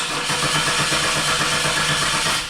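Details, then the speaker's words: 2001 Chevy Camaro, crank no start after stalling intermittently: starter spins the engine at a steady, even pace but it never fires; zero fuel pressure at the Schrader valve, failed fuel pump. "got a bad fuel pump"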